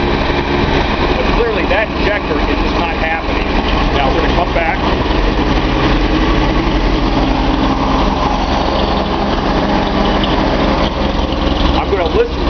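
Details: Nissan 280Z L28 six-cylinder at idle: uneven stumbling beat with periodic exhaust pulse dropouts; owner suspects cylinder 6 injector blocked, though it clicks.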